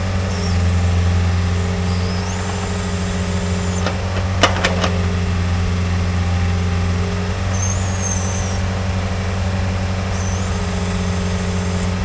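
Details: Pel Job LS2000 excavator after the Rexroth A10VO28 pump repair, standby pressure set to 30, main pressure set toward 250: steady low diesel drone with a smooth hydraulic whine rising and falling with load. Normal running under load.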